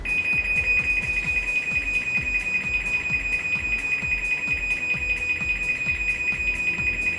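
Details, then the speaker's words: Chamberlain MyQ garage door opener closing remotely from a phone: steady high-pitched beeping about two and a half per second over the motor hum; normal warning before the door closes. "door now the reason I think this occurs is because you're controlling it from your cell phone this is probably like a warning mechanism"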